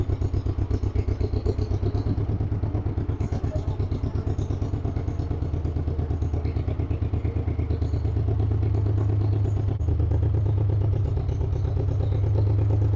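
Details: 1958 John Deere 420W two-cylinder tractor, cold start, warming up; slow even pop about three beats a second, growing steadier and louder: normal running.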